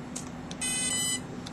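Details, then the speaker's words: 3DX-450 ESC given low stick during programming mode sounds a brief double start-up tone, meaning the brake is off; timing programming beeps follow. "now if we go back with low stick you'll see we'll get a double start up meaning no break"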